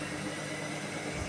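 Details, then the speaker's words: IFB Senorita Aqua VX front-load washer, after repair of a drum noise complaint: even steady whir from the drum at fast spin with no knocking or rubbing; earlier sound gone, normal spin cycle. "இப்போ அந்த sound இல்லை, நீட்டாக ஓடுது, எந்த கம்ப்ளைண்ட்டும் கிடையாது. Spin நல்லா ஃபாஸ்ட்டாக ஓடுது, அந்த இஷ்யூ இல்லை."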